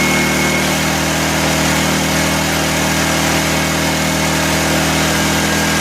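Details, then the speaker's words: 1984 Honda EM600 generator on a cold start: steady, fast drone with no change in speed, well above a normal generator hum. Engine overspeed; the fine-tune adjuster knob did little, and a throttle issue is suspected. "this thing is running too fast so I suspected there was gonna be issues with it because the guy mentioned something about it"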